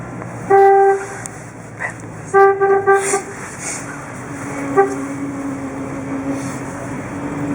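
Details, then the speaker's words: 1958 Chevrolet Bel Air first drive since 1971 after restoration work, horn sounding in uneven bursts as steering wheel turns over quiet engine; faulty horn contacts in steering wheel. "the car driving the car around and I'm honking in everybody while I'm doing"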